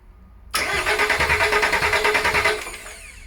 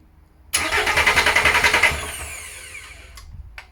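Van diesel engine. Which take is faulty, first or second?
second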